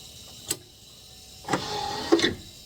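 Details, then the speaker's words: 43-year-old C3 Corvette power window with the switch already fixed and the wire confirmed good: short strained motor hum under a second between clicks, window not going down; fault traced to the door wiring plug, to be cleaned. "Still not going down. I'm holding the switch. I can definitely hear there's something going on here."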